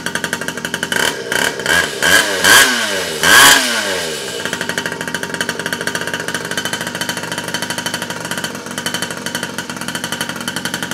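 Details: 47cc two-stroke mini pocket rocket bike, first start after reassembly with no gas leaks: catches and revs up in quick crisp bursts, no knocking or misfire; normal revving.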